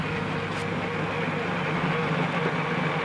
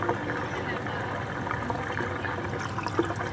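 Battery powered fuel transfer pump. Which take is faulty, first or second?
first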